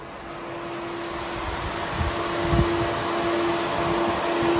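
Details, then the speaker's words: Conquest drag-and-drive car with upgraded cooling, radiator fans switched on through a new relay kit; a strong steady rush of air with a constant mid hum that builds slightly; both fans at full speed and moving far more air than before. "I hopefully in the video you can hear the difference but these fans are officially moving air I can feel the wind all the way back here from behind the car"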